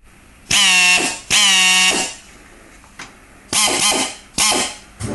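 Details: Air drill running in short trigger bursts before vane replacement: hum sags under loud air hiss as a cracked rotor vane causes power loss; air leaks also mentioned as a possible contributor.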